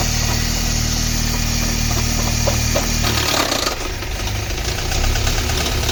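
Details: Car engine idling with an uneven low rumble and a loose rhythmic beat, the note changing partway; abnormal engine noise, cause unclear.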